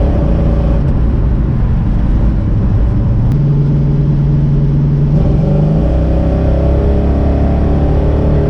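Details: 1968 Dodge Charger with a newly installed, being-broken-in RV 440 V8, cold Colorado day, accelerating on road: deep even rumble pulling cleanly as revs climb and settle, no knocks or ticks; replaces a rod-knocking motor, sounds healthy.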